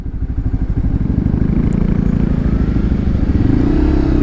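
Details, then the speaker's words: Lexmoto LXR 125 SE single-cylinder bike riding on the road after the exhaust manifold was refitted evenly: steady putter rising slightly with speed, and the previous rattle can no longer be reproduced. Normal running after the fix. "Guys, literally everything I used to do that would guarantee that rattle, I just can't make it. I can't make it do it. It was the exhaust manifold then."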